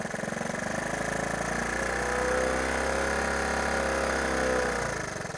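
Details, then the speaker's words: Honda ATC 110 single-cylinder after carburetor cleaning: with choke only cracked open, revs swell and sag without pulling clean, sounding starved of fuel; it dies almost instantly fully off choke but starts readily on choke. "it'll rev up and it's just like it's acting like it's still starving for fuel"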